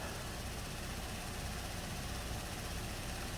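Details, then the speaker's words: 2017 Buick Enclave, crank no-start after water entered fuel tank at a boat launch, now running: steady even idle, no misses; live data shows high-pressure fuel rail 580 matching desired, desired low-side pressure 57.58 psi, running fine. "and desired low pressure fuel pressure is 57.58 so seems to be running fine now"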